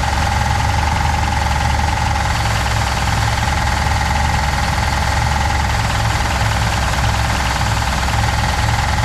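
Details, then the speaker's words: 1966 Pontiac Catalina parked 20 years, no radiator, belts removed: hard, steady metallic rattle over idle, first taken for rod knock; apparently the torque converter balance weight hitting the flywheel cover. "so i was looking for the very aggressive rattle that i kept thinking was a rod knock i took the belts off it's still there i crawled under the car and i think it's got something hitting the uh flywheel cover"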